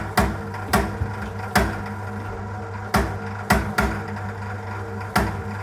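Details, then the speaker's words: Sage/Breville BBM800 Custom Loaf bread maker, about 14 years old, near the end of the second knead around 15–20 minutes in: loud irregular clunks over the motor hum that get progressively worse, from a loose, worn drive belt; the fix is to tighten or replace it. "So this is typically up to about 20 minutes into the breadmaking cycle and the noise starts around 15 to 20 minutes and gets progressively worse."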